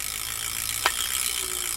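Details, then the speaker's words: Vintage Ryobi Silver Cloud SX5 spinning reel after full service, handle turned: light crisp ratcheting tick from the anti-reverse clicker, no grinding or catch; smooth easy operation. "Got that noise maker on there. You can turn the noise maker off if you like, the anti-reverse. You can just hear how nice and smooth and easy this operates."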